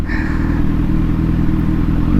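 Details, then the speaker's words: Kawasaki Z900 with SC Project exhaust, riding, hot day: inline-four winding down off throttle gives crackly, uneven popcorn-like popping under the tank/exhaust; deceleration popping and slight backfire, which a marble fix at the shop is meant to reduce. "Ayun o, kung napapakinig nyo, parang may nagluluto ng popcorn dito sa ilalim ng ano natin, tangke eh."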